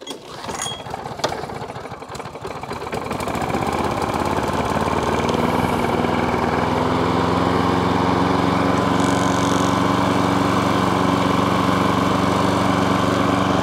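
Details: Self-propelled lawn mower started on choke after a drive cable adjustment. The small petrol engine catches after a few rough seconds, then settles into a steady, even run with no knocks; normal running.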